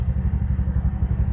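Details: Bajaj BS6 petrol engine, about 60,000 km, idling after a rebuild for a failed crankshaft bearing (connecting rod was fine). Steady low even thumping at idle, regular beat, no knocks or rattles: smooth, healthy single.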